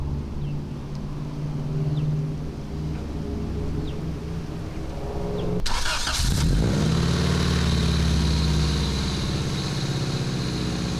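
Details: Honda Integra petrol idling after its exhaust leak was welded up: steady, even low rumble with no puffing or ticking from the exhaust; normal idle.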